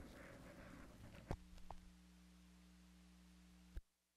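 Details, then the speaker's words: Parts Express 240-398 XLR-to-quarter-inch line matching transformer used as a mic input, with shield connected: after handling thumps, a faint steady low hum with slight fuzz remains; acceptable noise floor. "so let's see how it sounds now hmm a lot better here in a little hum oh pretty darn good or maybe that's just a room noise"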